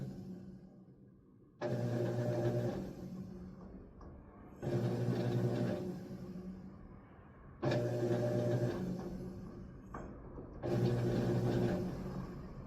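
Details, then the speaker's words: GE washer on service-mode agitate test after seized motor pulley replacement: shifter changes, then smooth motor hum in even back-and-forth strokes about every three seconds, no grinding or slipping; normal agitation cycle. "Can hear the shifter changing. And there it goes."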